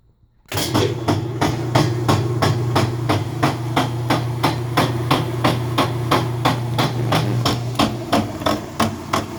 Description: Whirlpool LSB6400KQ1 washer (with cover off) has a knocking sound in low spin or high spin speeds. The lid switch is bypassed for this test. This turned out to be a bad transmission.